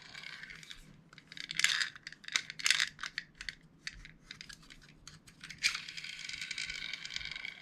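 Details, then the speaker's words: Airsoft DSG M4 V2 gearbox after shimming (0.1 shim replacing a 2.5), gears and shell refitted, turned by hand: light irregular clicking and ticking of small gears, no grinding or catching. Normal gearbox free spin. "Recently, there have been quite a few techs sending me videos of them free spinning the gearboxes like this and asking if it sounds good. I mean, yeah, I guess."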